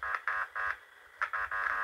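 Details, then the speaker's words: Huper AK15A (15HA400) amplifier with intermittently missing bass, power stage output tested on a speaker before the relay: short buzzing bursts come through each time the input is touched. The power section is normal. "apabila ini di sentuh dan output power-nya ini di beban Speakernya itu bunyi maka bagian mesin ini normal teman-teman ya bagian mesin ini normal"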